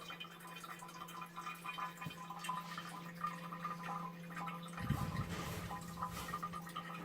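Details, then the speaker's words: Toilet cistern leaking constantly into the bowl, heard in the bowl after refill shuts off: faint steady trickle and drip under a low room hum; apparently still not watertight. "Ah, ça fait moins rire. On entend couler. Ça n'a pas l'air d'être étanche encore."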